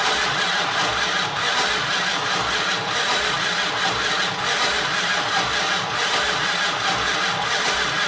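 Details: 1968 Dodge Monaco 500, rebuilt 440 Magnum V8 after 36 years: starter churns engine evenly for seconds, never catches; no spark because both 12 V and half-power sides of original fender-mounted ballast resistor were unhooked.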